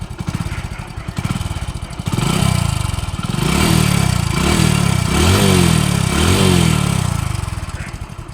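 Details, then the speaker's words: Used self-start motorcycle for sale, digital meter not working: single-cylinder thump at a steady idle with gentle blips, no knocks or rattles; engine smooth and healthy. "കേട്ടോ അപ്പൊ engine ഒക്കെ നല്ല smooth ആയിട്ടുള്ള ഒരു വാഹനമാണിത്"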